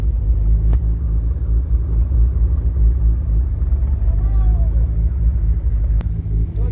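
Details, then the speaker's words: 1000+ whp 2JZ Nissan S14 240SX with a Grannas Racing GR700A T56 Magnum gearbox and a Tilton ST246-HD clutch rated 1250 ft-lb, after about half an hour of driving, recorded near the shifter with no tunnel sound deadening: smooth low rumble with no clanks or chatter. "The car shifts so smooth, and the clutch pedal feels exactly like stock. It's so smooth. You know, it doesn't shatter. It doesn't make any noise."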